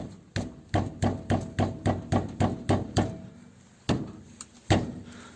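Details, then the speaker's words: VW Passat B3, left front: sharp, hollow clunks about three a second as the steering rod is rocked by hand, from a worn inner tie rod ball joint at the steering rack, knocking over bumps. "вот она рулевая тяга вот она вкручивается в рейку и вот на этом шарике она туда сюда вот так вот играет стучит на кочках"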